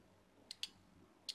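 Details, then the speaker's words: 4-pin relay bench-tested with a lithium battery on coil pins 85/86 in a quiet room; two sharp clicks on each energizing, pull-in and release, showing the relay works normally. "you hear that that's the clicking that means the really is working"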